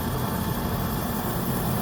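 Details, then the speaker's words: Oil burner furnace restarted after running out of oil, reset button pressed and line bled: steady, even low roar with constant rumble and no sputter or pulsing; burner lit and holding flame normally. "I press the button I let it go now I going to give you a couple minutes try them one more time there we go see it started"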